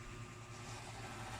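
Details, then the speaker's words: Vornado tower fan, reassembled after rewiring, capacitor refit, motor realignment and cleaning of its weak motor, on speed 2: steady soft airflow rush over a low even hum, turbo-like, no rattles or scraping; running smoothly and healthy. "Number 2. Can you hear that sound? It's like a turbo."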